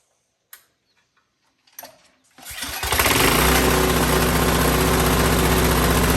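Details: Vintage MTD tiller model 218-430-205, 5hp Tecumseh single, free curbside find, carb air cleaner missing, little fresh gas, black oil: a few pulls, catches and settles into even steady putter; normal start and idle.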